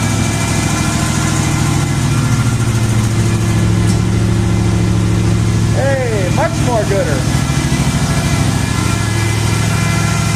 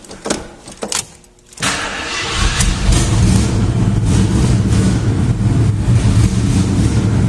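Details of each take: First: Jeep idling on jack stands right after the exhaust donut gasket was replaced: deep, steady idle with an even low pulse and no puffing or ticking from the exhaust joint; exhaust leak fixed, sounds healthy. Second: Jeep started briefly before replacing the exhaust manifold donut, also to heat the manifold bolts: engine cranks and fires, then runs with a loud, raspy, puffing low rumble; exhaust leaking at the donut gasket.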